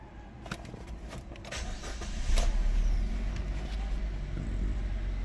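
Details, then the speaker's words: New-model Suzuki Ertiga (CNG) that cranked but wouldn't start, no fault codes, after repairing fuel pump wiring at the tank chewed by a rat: several seconds cranking, then catches and settles into steady low rumble; normal start. "Finally friends देखिए car start हो गया तो ऐसे ऐसे problem आते देखिए"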